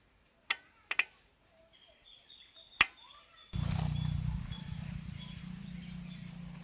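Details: Suzuki Max 100 two-stroke started after five years sitting, during restoration, with petrol connected: a few sharp clicks, then it fires and settles into a steady, even idle; clean start.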